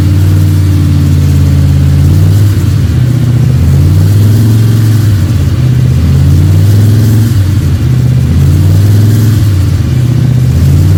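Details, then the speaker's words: Freshly built 302 Cleveland V8 with a Holley Sniper and electronic distributor, about 20 minutes into cam break-in: deep, even rumble that holds steady, swells smoothly on gentle blips and settles back without knocks or misses. Healthy. "Been going for 20 minutes now, and it's constant idle. I've been revving it up a bit now and again, so I'm happy with that."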